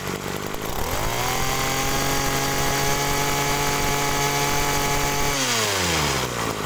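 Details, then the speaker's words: Agricultural sprayer engine with a known-good spare carburetor fitted for comparison: it climbs to a steady, even drone, holds without stumbling, then drops back smoothly; this is normal carburetor sound, which rules out the suspected stuck pump. "nah Oke jadi itu tadi ya teman-teman itu adalah suara karbu yang normal"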